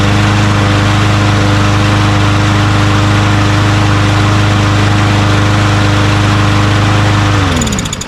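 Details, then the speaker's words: Craftsman M110 (MTD) push mower, Briggs 550EX auto-choke engine, after carburetor cleaning, air filter off: starts first pull, steady even drone for about seven seconds then winds down cleanly at shutoff; normal running. "Beautiful. First pull. Just like it's always like this model usually starts really easily, starts right up."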